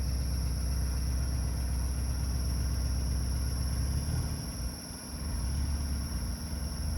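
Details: Porsche 944 at idle: steady low rumble with a thin constant high squeak; suspected stuck oil control valve behind the oil filter housing, squeak fades with revs and warm-up; source unconfirmed.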